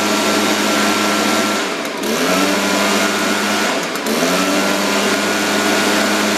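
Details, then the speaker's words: Echo PB-580T leaf blower after carburetor low-speed mixture adjustment, previously rich and smoking: high even buzz dips twice then recovers cleanly to steady pitch; crisp and healthy. "okay very happy with that so just a little a little rich it's tightening it up a little bit"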